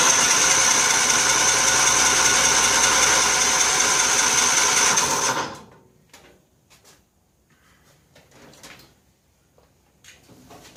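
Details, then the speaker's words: 1955 Cushman Truckster, 3-speed with reverse in neutral, cold start after sitting a couple of years: starter spins engine at steady beat about five seconds, never fires. Fuel starvation; fuel leaking at fuel bolt. "See why we don't have fuel. We seem to have. Got fuel leaking."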